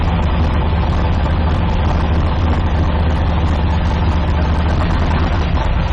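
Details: 1972 Nova drag build, in gear after transmission test following fluid drain (earlier 2-3 shift locked rear wheels); deep even idle, steady low throb, no clunks or slipping flare; all gears and trans brake working, normal idle in gear.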